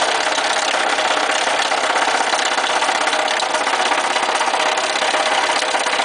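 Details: Lada Niva 4x4 engine idling with ignition on: fast, uneven tapping knock about two to three beats a second; owner suspects a spun connecting rod bearing, not confirmed; engine knocking.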